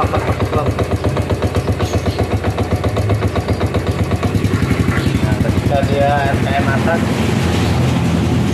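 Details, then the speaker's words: 2010 Yamaha Vega ZR that dies when put in gear: uneven, rough rattle at idle pulsing about four times a second, fading with a little throttle; worn centrifugal clutch with bell worn too deep. "jadi di sini kendalanya setiap masuk gigi dia mati ada suara suara kasar sewaktu RPM rendah ataupun langsam ya jadi ketika ditarik gas sedikit dia Suaranya akan menghilang"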